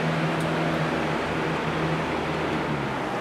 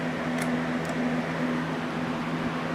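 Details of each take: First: Cheap electric fan after repair of a creaking assembly with missing screws: soft even whoosh and steady motor hum, no creaks or squeaks; runs much better though still not perfect. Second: Cheap household fan about two years old with a missing rear screw, leaning and chipped: steady motor hum with an intermittent squeaky creak every half second; cause not yet found before teardown.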